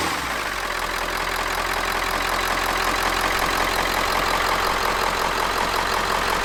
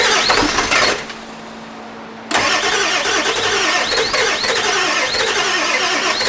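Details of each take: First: Ford E350 4x4 van, 7.3 liter diesel, just started, not yet at operating temperature. Steady even clatter at constant idle, no misses, surging or knocks; normal smooth cold idle. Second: Ford E350 4x4 van, 7.3 liter diesel, first start attempt, one glow plug burnt off. Rhythmic starter whir, brief pause, then cranking at three to four turns a second, never catching; extended crank, no start; owner suspects too little glow plug time.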